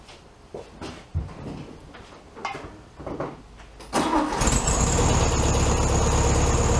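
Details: 1967 VW Beetle 1500cc air-cooled engine after carb reinstalled on new base gasket: scattered noises, then it catches and settles to a steady, even idle after warm-up, sitting slightly high but smooth; normal idle.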